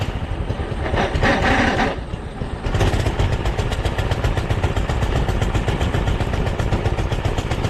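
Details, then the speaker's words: Doodle Bug DB30 minibike, while the carb screw is being adjusted: the single catches and putters unevenly, wavering and stumbling instead of idling steadily; it won't take choke, and the owner suspects the carb screw or clutch slip. "she's a putter he ran before she doesn't want any chalk"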